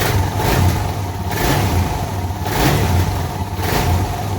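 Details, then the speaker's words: Suzuki DR650 single after fitting a K&N air filter and UNI secondary breather filter: even rev blips rising and falling cleanly with no popping or backfire on the overrun; the mild backfiring seen with the stock filter appears gone. "It definitely sounds like it's breathing a little bit. And it seems to have gotten rid of those little bit of backfire."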